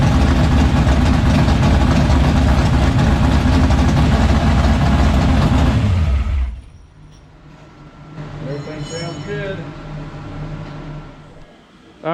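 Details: 1976 Chevrolet Vega drag car with new 427 V8, restarted after fixing no oil pressure (distributor not seated on oil pump): loud lumpy rumble about four pulses a second, then shutoff; great oil pressure, healthy race motor.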